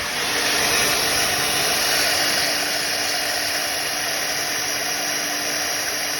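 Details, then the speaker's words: Premier 556 pool pump, 20–30 years old, after bearing replacement (formerly sounded like a train): a smooth, even motor hum with a steady airy whoosh and no growl. It is about 90% improved and still drips at the seal. Normal pump running. "Let's see if it works. Uh 90% improvement."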